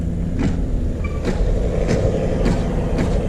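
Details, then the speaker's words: 2018 Camaro SS 1LE fitted with base-model 18-inch wheels, turning at full lock: rhythmic scraping swish about twice a second with wheel rotation over road rumble, tire rubbing the plastic front brake cooling duct. "we're gonna take the wheel off and see what is making that horrible sound"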